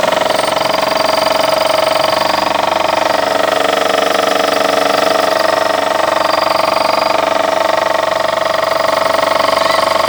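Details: Fiat Uno engine making a strange noise (part 1): steady running with a sharp, constant whine and a regular tick about three times a second; the source is unidentified and needs further checking.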